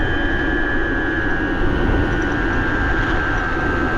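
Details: BBS02 e-bike mid-drive motor after conversion to 72 V, 42/32 gearing, ridden about 31 mph in first gear under 1,000 W; loud steady high whine over wind and road rush. Owner suspects something inside out of whack, unconfirmed.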